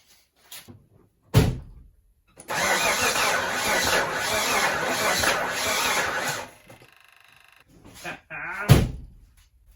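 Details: 1991 Mitsubishi Montero RS, first start after engine rebuild with coil reconnected: about four seconds of steady cranking, never catches; crank no start because distributor ignition timing is off.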